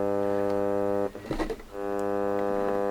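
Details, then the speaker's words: Digital radio stuck on its welcome screen, with no RF, dead buttons and no volume effect: a constant low mains-like buzz with even overtones, briefly broken. Owner suspects the power supply. "there's no rf on it at all and it just keeps going like that buzzing and buzzing"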